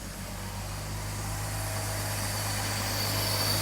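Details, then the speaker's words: 1990 Mercedes W126 300SE petrol, not run in over 4 years, first start after restoring fuel delivery to the injection system, ignition untouched: smooth, steady idle with even low hum firming after start, no ticking or misfire; sounds healthy. "wow can you believe that has not run in 4 years it actually sounds pretty good"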